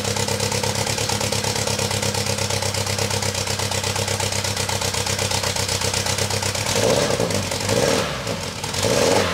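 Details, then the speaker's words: VW Golf 2 GTI with Digifant injection, before repair; lumpy uneven idle as if one cylinder missing, rough throttle blips, running on three cylinders: misfire, owner suspects the fuel circuit, not confirmed. "elle tourne sur trois pattes là actuellement je l'entends vraiment bien en étant ici après en vidéo c'est pas forcément facile de s'en rendre compte mais elle tombe sur trois"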